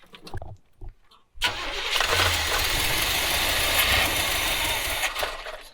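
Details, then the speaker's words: 1970s Coachman Leprechaun motorhome that ran out of gas, carb bowls hand-filled with gas and 2-stroke oil; short cranking bursts, then it catches and runs a few seconds before fading. Fuel starvation while the dry fuel pump primes. "All right, a few more times like this, and I'm sure the fuel pump will prime. Yeah, I think we're getting close."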